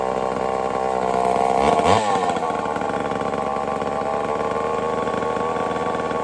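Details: Homelite Super XL-923 82cc two-stroke chainsaw test fired after tune-up, slightly rich on low-speed: loud crisp snap up to high steady scream held evenly; normal running, in good tune.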